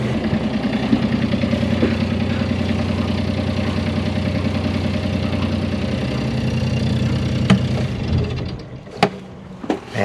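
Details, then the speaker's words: 1988 Catalina 36 sailboat inboard after the fix: steady, even low drone with a smooth beat and no vibration, grinding or roughness; normal idle. "I'm gonna start the motor and probably have a smile on my face. No vibration! Woo!"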